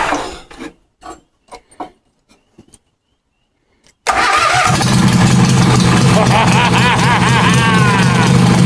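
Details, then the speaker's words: Wheel Horse C-175 mower ("Crusty Rusty") brought back to life: a few taps and clicks, then engine fires instantly and settles into steady, even run without misses or knocks; sounds good. "Oh, I can't believe it just fired up like that. That was insane. I mean, just bam. That is awesome. Sounds good, actually."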